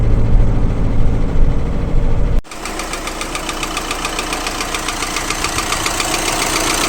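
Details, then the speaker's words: 2012 VW Crafter 2.0 BiTDI twin-turbo diesel idling: a sharp regular ticking knock, with power loss and limp mode, from combustion gas leaking past two injectors. An injector bolt was found loosened a few turns. "И значит это был стук прорыва газов возле двух форсунок"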